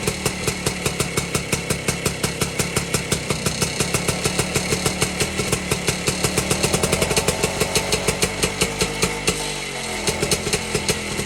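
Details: 1952 BSA D1 Bantam two-stroke engine on a test rig, first start in over two years, carburetor tickled to start; crisp, regular popping at steady idle with a brief dip near the end; runs cleanly, normal.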